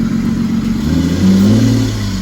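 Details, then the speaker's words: Lexus GS300 idling after the air intake was fixed (previously drawing dirty air): low, even idle with a smooth steady beat, no misses or stumbles, slight swell in revs; now runs about 100% smoother, normal idle. "It sounds 100% smoother. I think it was just it not having a good intake because it was getting in dirty air before. Now it idles smoothly."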